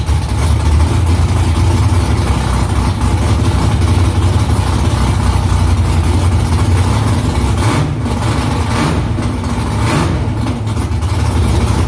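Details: V8 after header installation and exhaust refitted under the car, first start in about three weeks. Deep, steady rumble with even pulses and a couple of clean throttle blips, loud exhaust; louder in-cabin with seat vibration. Smoke from drying header silicone. Normal idle and revving.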